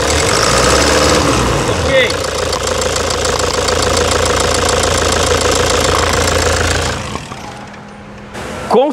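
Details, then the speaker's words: 2009 Toyota Hilux diesel with a stuck, faulty injector nozzle, at idle: loud, uneven clattering knock over a rough, vibrating idle with a shaky rhythm before the engine shuts down; diesel knock from the faulty injector. "essa Hilux cinza aquele que está no box ela tá com grão-de-bico e o bico está travado certo e para você ter uma ideia ela está castanhando alto tá tá mas muito alto"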